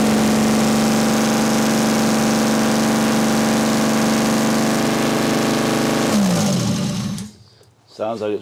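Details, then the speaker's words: 1979 BMW 5 Series barn find, first start after 30 years, exhaust not connected, smoking: engine holds a steady high rev for several seconds without dropping to idle, then falls off sharply; unclear whether it idles. "definitely ran though I couldn't really tell if if it was idling or if it was just revving up no idea"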